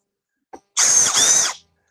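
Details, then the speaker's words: New Makita 12V drill, unboxing: short smooth high-pitched whir with no grinding or rattling, quieter than Milwaukee but still torquey; normal drill operation. "I mean it sounds wimpier but it doesn't feel it like when I Let Go it torqus so it's just quieter"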